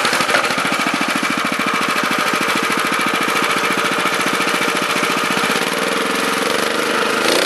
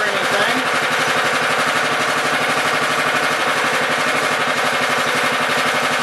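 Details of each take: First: Honda FR600 5.5 hp tiller, unknown year, needs half choke or bogs: runs fast with rapid even buzz, pitch drops as the throttle limit screw is turned down; revving too high, limit screw adjusted. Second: Honda FR600 5.5 hp tiller, unknown year, sat 2.5 weeks, started on choke in neutral: starts right up, steady even fast single-cylinder putter, no misses or knocks; runs healthy though it normally needs half choke when tilling.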